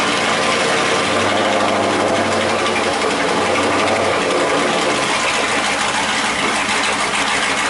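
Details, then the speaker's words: LS1 V8 in a Nissan S13 at a cold idle through a new custom exhaust: loud raspy burble holding steady without stumbles or knocks; the engine runs fine. "that's the exhaust guys it runs she's just cold right now so that's that that's the exhaust it's good it sounds good"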